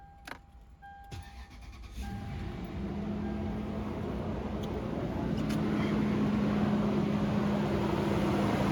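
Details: 2007 Lexus LX470 first start after timing belt kit, water pump, thermostat and seal replacement: a few quiet chimes, then the engine catches and settles into a steady, even idle that builds smoothly; clean, healthy start.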